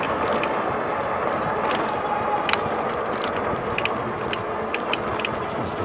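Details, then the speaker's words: RadRover e-bike at about 1,200 miles, pedal assist at about 18-19 mph: sharp irregular clicks and ratcheting ticks with every pedal stroke over the drivetrain whir, from where the pedal crank connects near the gears; not yet fixed. "Well, so about 1,200 miles in, this pedal thing started happening. It really sounds horrible. Every time I turn the wheel. or pedal, I should say."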